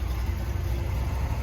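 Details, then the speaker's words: 1971 Corvette with a rebuilt, numbers-matching motor described as perfectly tuned, idling low and steady: an even, smooth humming V8 rumble with no misses or ticks. Normal idle. "Listen to it, just listen to it. It's so smooth. The motor is, I don't know, it's hard to pick up, but the motor is so smooth that it hums."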